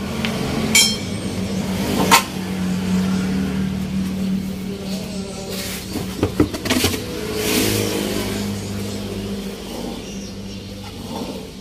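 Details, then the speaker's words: Old-model Toyota Avanza heard from inside the cabin while driving: a steady low rumble from the front wheel that holds with speed and vibrates. It is attributed to the brake disc, and the front wheel bearing is being replaced. "Sekarang kita berada dalam mobil pengecekan kaki-kaki depan berbunyi gemuruh di roda bagian depan"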